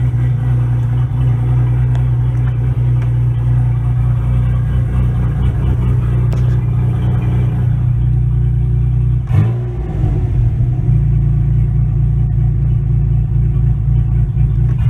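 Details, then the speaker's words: 2002 Pontiac Firebird with turbocharged 3800 V6, small muffler (only one that fit): steady, loud, deep droning exhaust with a couple of quick throttle dips; engine runs evenly, just very loud. "I guess I should start it try to hear it's too loud that's only muffler I could fit in there"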